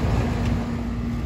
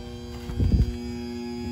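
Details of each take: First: Payne central AC outdoor condenser after replacing a defective dual capacitor that looked fine: power on, steady low compressor hum with fan rush, no rattles; running normally, drawing about 19.3–19.4 amps. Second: Payne 5-ton R22 central AC condenser not cooling: the contactor clunks, then a steady electrical hum with no compressor start; a defective dual run capacitor that looked fine, which was replaced.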